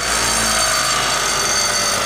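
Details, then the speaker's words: 2009 Mitsubishi Galant at start-up: high metallic ringing rattle over idle, like loose pieces jingling in a can, heard every start with check engine light on; broken catalytic converter substrate rattling internally, converter replaced. "the reason I replace this catalytic converter because it sounded like this ring-ring ring-ring ring-ring ring-ring every time it started up it sounded like an ice-cream truck"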